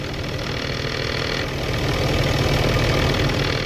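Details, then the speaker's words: 2012 Ram 2500 6.7 diesel at 110,000 miles with a G56 manual: diesel idle with a loose, fast rattle about three per second from the gearbox, present since the dual-mass flywheel was replaced by a single-mass clutch; a common trait. "hey YouTube decided to make a quick video here the noise at my new 56 in Haiti ever since I put in a single mass by will clutch system a common problem removing the dual mass flywheel setup on the Rams"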